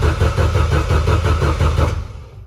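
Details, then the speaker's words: Built turbo Volvo wagon drift car on MegaSquirt, set up as 24-minus-2 crank wheel, won't start after fresh build: steady starter cranking about four chugs a second, no firing; RPM signal drops out as bad starter's electrical noise corrupts crank sync. "That is no good. So the RPM signal is dropping out."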